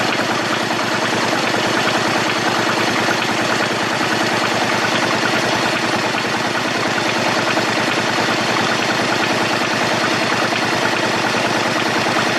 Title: bruit moteur Honda shadow 125